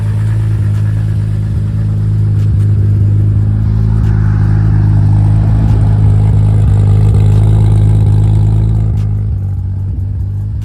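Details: Big-turbo Supra first start-up with custom fabricated true 4-inch exhaust: deep, even exhaust idle swelling smoothly with light revs, faint turbo whistle on top; normal, healthy running, small oil leak noted at oil cooler sandwich plate.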